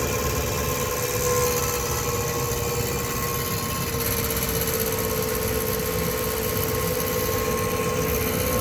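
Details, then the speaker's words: 2007 Dodge Ram 1500 5.7 Hemi, 140,000 km, idling via remote start, recorded from the garage: loud steady high-pitched transmission whine audible two blocks away; starter bench-tested fine, no leaks or rubbing found, cause unknown. "anyway this transmission is whining it's incredibly loud"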